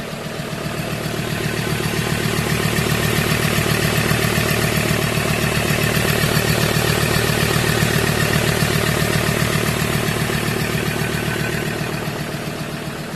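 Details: 2015 Ford Transit 3.2 diesel van after replacing the drive belt idler pulley that caused a loud rough idle: steady, even diesel clatter with no roughness or surging; normal idle.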